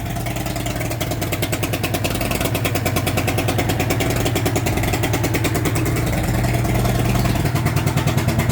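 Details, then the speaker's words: Mercury 2.5L outboard on muffs, not yet hot, after MAP sensor cleaned with spray: runs with an uneven, lumpy pulse about three beats a second, very smoky, engine temp warning light flashing; running rough. "It's pretty smoky. It just doesn't sound"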